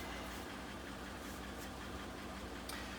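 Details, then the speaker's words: 2014 Chevrolet Silverado 5.3 V8 at idle with the check engine light flashing: low, uneven rumble with sharp, fairly heavy ticks. It is misfiring, and the codes point to cylinder six. "check engine lights flashing. Definitely misfiring. You can hear a little bit of a tick in there or a pretty heavy tick in there."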